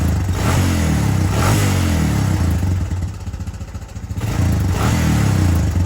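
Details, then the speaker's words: 2005 Honda Recon 250 single-cylinder, idling after stock jet sizes were fitted to the aftermarket carburetor and the plug was cleaned: an even thump with one brief dip that recovers; smooth, no longer lumpy, carburetion now right. "yeah way better way smoother it's not real lumpy and jumpy like it was before"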